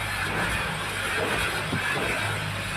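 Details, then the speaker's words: Ford EcoSport three-cylinder EcoBoost with blue and black smoke and fault codes for low fuel rail pressure: under throttle it stumbles and will not rev past 2000 rpm as it misfires. "य देखो ऐसे कर रही है 2000 से ऊपर RPM नहीं जा रहे"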